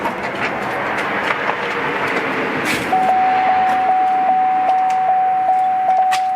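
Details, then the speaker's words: 2003 Chevy Suburban after fuel pump replacement, tank reinstalled and pump primed before starting for leak test: steady high-pitched hum starting a few seconds in and holding evenly, normal fuel pump priming. "Oh yeah, she's working. Go ahead and fire it up."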